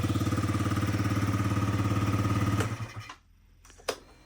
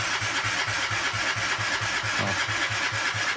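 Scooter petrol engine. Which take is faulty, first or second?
second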